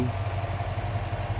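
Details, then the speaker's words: 2005 Jeep Grand Cherokee Hemi idling with a steady, even thrum and no misses after a cold no-start worked around by jumping the starter relay; fires up every time with the key once turning, warm starts fine. "once I go in there and put the key in there fires up every single time"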